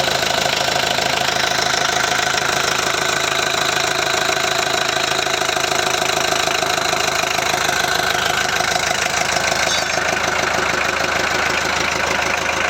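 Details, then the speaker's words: VW Transporter T4 1.9 TD after engine reassembly, first fire, air filter off: steady diesel idle with even clatter and no odd rattle over it; the earlier rattle seems cured. "oh right well it sounds good"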